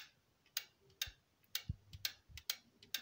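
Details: 20–25-year-old stereo amplifier after replacing worn speaker-protection relays: crisp, evenly loud relay clicks about twice a second as the selector switches, quiet between. The relays are switching normally and both channels work.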